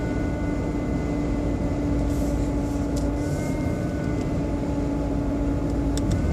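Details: BMW 120i E87 engine running: a steady, thin motor-like whine sits above the idle. An oil change did not fix it, and the owner thinks it comes from behind the air cleaner box. Exact source unknown.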